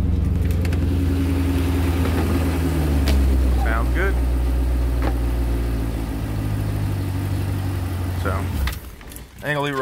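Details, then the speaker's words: Car idling with the alternator disconnected after cleaning off caked oil; with the alternator connected it isn't charging and puts the car in limp mode: a steady, even drone with no knocks, misses or whine, normal running. "but without it connected I'll show y'all sounds amazing"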